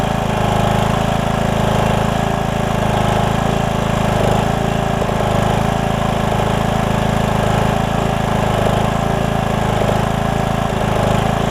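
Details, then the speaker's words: Briggs & Stratton single-cylinder riding mower engine after carburetor replacement with HiPA kit, oil in the muffler burning off: steady even thump at fast idle with no misses or knocks; running good. "we'll let it settle itself out as you can hear it's running pretty good"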